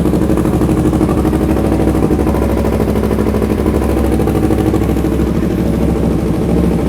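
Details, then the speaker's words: Yamaha YZF R3 at 24,000 km after NGK spark plug change: even rapid twin exhaust pulses holding steady at 1500 rpm idle, no hunting; before, idle spiked 500–1500 rpm with a womp-womp sound. Normal idle. "So you see that there's a steady idle, there's no flux, there's no nothing. It's steadily at the 1500 right over here."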